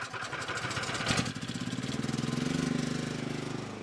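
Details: Portable petrol generator after alternator-side oil seal replacement and oil top-up: small single-cylinder settles after a brief rev into even, steady putter, no knocks or misses; output voltage correct, normal running.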